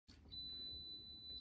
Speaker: hey if your uv water sanitation system is beeping like this at you it probably means that after one year your bulb is now worn out and you need to replace it